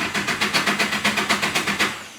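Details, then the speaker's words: Long-term engine build ("SR") on its first start attempts: throttle pulled back slightly, target idle 900 rpm. Starter turns the engine over in an even beat for two seconds but it never catches; cranks with no start. "Yeah, right now it doesn't wanna. I'm gonna crank again."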